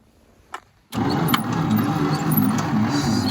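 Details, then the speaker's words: 1953 International L160 truck found with no spark, during a spark check: the starter drags the engine over at snail speed, a slow uneven churn that never catches; weak cranking. "okay we can gonna try to get the engine to spin a little faster because it's going at snail speed"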